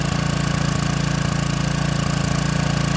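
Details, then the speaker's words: Free Troy-Bilt pressure washer small engine just started, throttle on fast: uneven lumpy putter about 2.5 beats a second, rough running, owner wants it smoother and says the carburetor will need rebuilding. "Just make sure she's gonna run good and smooth. A little smoother than that, right, guys?"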